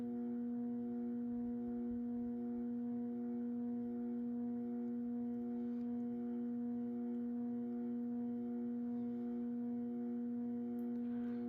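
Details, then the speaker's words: Early-1980s CEC-made Moss Heirloom Olympus 52-inch ceiling fan turned up a little from low (around 55 RPM), trim pot likely at factory setting: steady mid-pitched hum with overtones and faint pulse; pronounced variable speed control buzz, with some wobble likely from warped blades or imbalance. "this fan definitely has a very pronounced variable speed buzz to it. Definitely one of the loudest fans in that aspect that I own."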